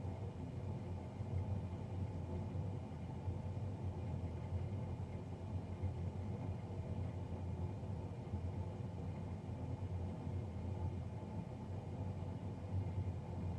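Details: Navien NCB-240 boiler, serviced Jan 31 2020 and recorded Feb 3 2020: constant deep droning rumble, level throughout; combustion fan running loud, cause not yet pinned down.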